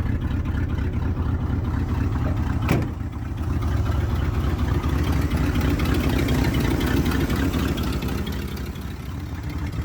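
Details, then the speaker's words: Ford F-250 with original 390 FE V8, about 180,000 miles, restarted cold in Iowa winter after sitting about six months, warming up at idle with about 16 inches of vacuum: deep, steady even rumble, no knocks or ticks; normal idle. "so she gonna idle oh what a awesome pig of a truck idling away"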